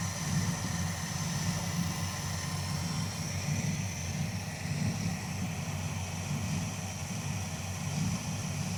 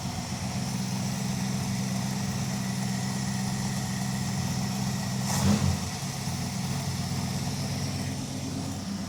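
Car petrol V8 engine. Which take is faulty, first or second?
first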